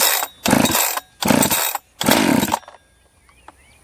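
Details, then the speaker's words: Freshly refurbished Jonsered 2071 chainsaw's first run in the wood, decompression valve sticking; three crisp clean throttle blips rise and fall evenly, the saw revs healthily. "that is a whole lot of not bad"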